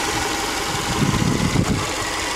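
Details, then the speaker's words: Rebuilt EJ25 SOHC 2.5L Subaru flat-four from a 2005 Outback: a steady, even idle with a smooth low rumble and no ticking or knocking, no leaks and no check engine light. "definitely no knocking issues and it's idling pretty good nothing leing from the bottom which is always good"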